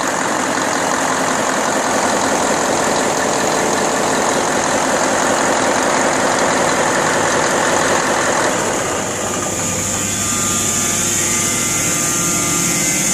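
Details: Deutz 1015 diesel after overhaul, Pucallpa, Peru: steady, even run with a smooth, consistent beat and no knocks or misses; sounds healthy.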